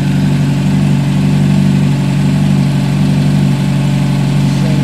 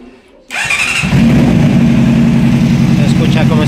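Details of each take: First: A Honda CBR 600 with a failing ignition coil, after extra insulating tape was added and the weak cylinder's temperature came up, idles evenly and smoothly with no stumbling; all cylinders firing, the engine runs stable. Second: Honda CBR600 running unstable: engine catches into an uneven, stumbling, lumpy idle; one cylinder's temperature reads about 45–55 versus 80–140 on the others, indicating that cylinder misfiring from a failed ignition coil.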